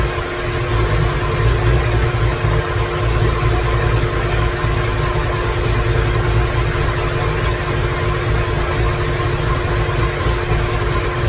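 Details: 2017 Corvette Z06 with Texas Speed 416ci stroker, Holley port injection, first fire-up with no tune, no coolant: deep V8 idle loping and stumbling with no steady beat; rough idle from missing tune.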